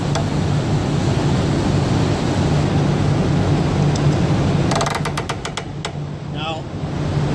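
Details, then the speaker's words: Truck air brake slack adjuster being wound with parking brake released, engine idling: quick run of sharp cracking clicks that sound like breaking but are completely normal slack adjuster ratcheting. "adjusting that that that noise right there you know it sounds like it's breaking something in there or cracking something in there that noise is completely normal on these"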